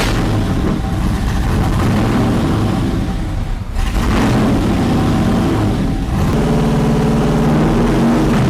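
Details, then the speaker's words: Freshly started 408 LS stroker in a 1981 Pontiac Trans Am with 4L80E and open Boom Tubes exhaust: loud, deep, lumpy rumble with a couple of blips settling into even idle; suspected miss went away, likely part of the learn process. "It sounds cool with the boom tubes. I like it smoothed out. I thought there was a miss, but it went away."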